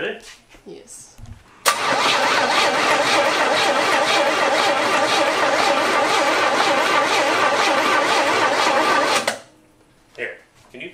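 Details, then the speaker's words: 1972 Cutlass S after 33 years in storage, engine previously seized: starter drags it round slowly, about four even beats a second, no catch; spark plugs out, owner worries it will crank too slowly with plugs in. "i want to see how fast it's spinning what i'm worried about is by the time we get plugs in it it'll be uh too slow to start not super fast we're gonna need a lot of battery for this one"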